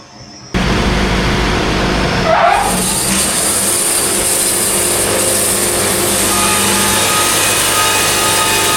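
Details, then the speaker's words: Sawmill band saw cutting at an optimum, slightly faster feed rate: steady, even roar with no rhythmic chatter or band resonance; clean cut at optimum feed rate. "There is zero resonance at all. It's disappeared."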